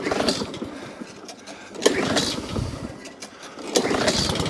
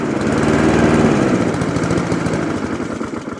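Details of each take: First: Alco Silva 520 BR lawnmower after drive and throttle cable repair, pull-started on choke, dead-man tested: catches, brief rough petrol rasp, cuts out promptly; drive throttle cable could use more adjustment; normal start-up and shutdown. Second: Alco Silva 520 BR lawnmower after cable repair, not run for about a year and only briefly running: uneven chugging, beat stumbling and sagging; may want carburettor work; rough running.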